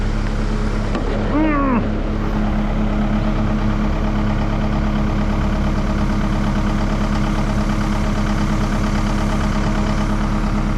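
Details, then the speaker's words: Cat 299D at idle after the hydraulic coupler and input shaft repair, hydraulic oil low: steady diesel idle with constant fan drone, no knocks or stumbles. Sounds healthy. "fans running and suck the bottom out of that hydraulic oil well it's alive"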